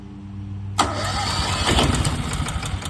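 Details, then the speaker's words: Westinghouse 20,000-watt portable generator, new out of box, battery connected, oil added: electric starter cranks steadily but never catches; fuel not getting through the system. "Let it go again. We need to get the fuel through the whole system."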